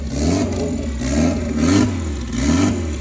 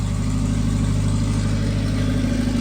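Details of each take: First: Honda Civic turbo drag build, very first fire of the freshly built engine after head gasket work: uneven firing, revs surging and sagging about once a second under held throttle; rough running because the fuel map isn't tuned yet. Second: Honda Civic turbo drag build, following a blown diaphragm leaking fuel: steady, even low idle holding on its own without throttle, no hunting or misses; smooth normal idle.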